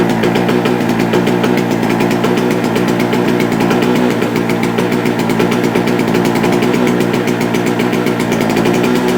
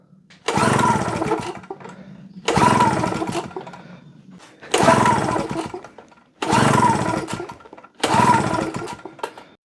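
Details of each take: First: JCB two-stroke generator, unused for a couple of years, now started: small two-stroke buzzing at a steady, even pace with no misses, outputting 200 volts; owner suspects possibly too much two-stroke oil in the fuel. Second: JCB two-stroke generator that hadn't run for a couple of years, with the throttle operated by hand. Five pull-start attempts about two seconds apart; it spins over but never fires: hard starting.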